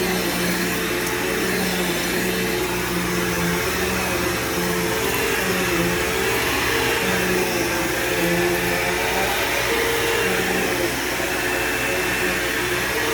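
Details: Bagged vacuum picking up scent beads: steady even motor hum and whine with brush roll spinning smoothly, no rattles or surging; works perfectly fine; normal running.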